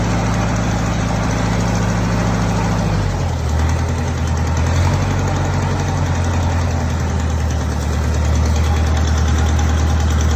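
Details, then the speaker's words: Belarus 525 4x4 tractor with loader, first start after sitting years: deep steady diesel rumble, revs dip slightly then hold even, no knocks or misses; engine runs well with good oil pressure and stays cool, though the clutch won't engage. "the biggest next step will be the clutch but it does run so that's a good start"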